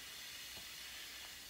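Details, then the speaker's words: 2002 Chrysler PT Cruiser A/C: steady, thin hiss of refrigerant escaping from the suction line, first thought to be the compressor; refrigerant leak, with the rubber lines suspected of closing off under vacuum. "this thing's leaking like a sieve hear that coming out of suction line I thought its compressor first it's coming out suction line"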